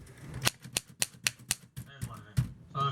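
Crisp, evenly spaced key strikes about three per second, each a clean snap, then the carriage bell and return; typewriter works properly.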